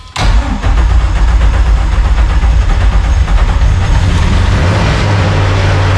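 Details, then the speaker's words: Drift car engine, untuned with only fuel pressure and idle set, cold start in neutral: quick catch on the starter, then a deep, steady, even idle with no lumpiness or misfire; clean cold start. "Obviously it didn't sound lumpy then because on a cold start I've"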